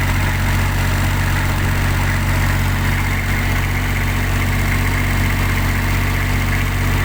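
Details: Kubota diesel on a tower light, previously not starting, after fixing a clogged primary fuel filter, loose fuel hoses and an air lock: steady, even idle with a smooth low drone and no hunting or stumbling; runs cleanly.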